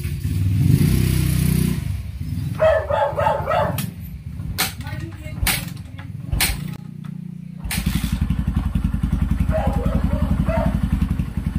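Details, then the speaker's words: Kawasaki Barako 175 after clutch work for first-gear shudder (kaldag), test run: engine settles to an even beat of about four pulses a second, quiet, no side scraping; only slight shudder left, far less than before. "Wala na yung mga parang kumakagiskis sa gilid niya. Paakyatin muna natin yung langis. Na mga kapit, wala na yung kaldag niya."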